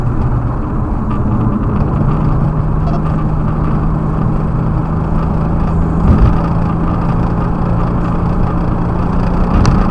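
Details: BMW E92 335i N54 revving past 3-4k rpm with a bad spark plug: steady strained, slightly uneven drone, cylinder 4 misfire putting the car in limp mode with shaky acceleration.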